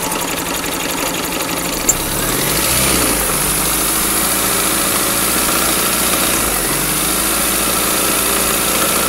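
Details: 2000 Chevy Metro after running low on oil and overheating from a bad coolant hose: rough uneven deep knock over ragged idle; compression 140/15/50/140 psi, owner suspects wrecked rod bearings and rings on cylinders 2 and 3.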